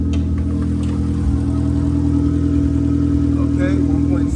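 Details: 2001 Honda Civic, 1.7-liter, automatic, 143,000 miles, catalytic converter removed: loud, deep, steady idle drone with a coarse exhaust rasp.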